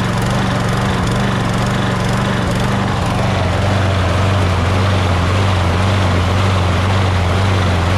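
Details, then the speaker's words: Toro Recycler Personal Pace mower engine after a pour-in carburetor cleaner treatment: it drones loudly but its pitch keeps sagging and climbing back instead of holding steady. Still surging; the carburetor is probably too dirty for a pour-in cleaner to fix. "as you can hear it still surges which means that the carburetor is probably more dirtier than anything could fix just from pouring something in there you know what i mean"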